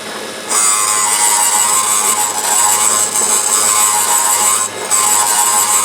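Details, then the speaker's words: Valve refacing on a low-mileage 1914 VW cylinder head: steady high grinding hiss from the stone that quickly settles and evens out as the valve face cleans up fast, the best one yet. "That was the best one yet. Hear how fast it cleaned up."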